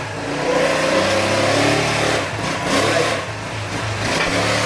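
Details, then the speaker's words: Honda Click 125 V3 scooter that still smoked after a repair elsewhere, now after repair. Revving is clean with no ticking; it is quiet, smoke gone, normal revving, though the CVT/transmission sound was noted as somewhat unusual. "Okay. Tahimik. Tahimik na mga sir. Nawala na rin yung usok niya."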